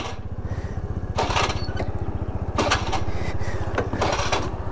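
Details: Scooter engine running: fast uneven putter near four beats a second with loud rough bursts; owner fears the engine may be seizing, cause unclear.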